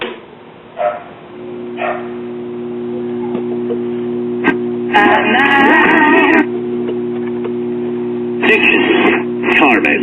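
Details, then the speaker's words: Tube radio powered by a Perma-Power battery eliminator under repair: constant low hum under the program; likely ripple on the filament supply line, unconfirmed. "as you can hear it's playing but we have some hum and likely ripple on the uh filament supply line"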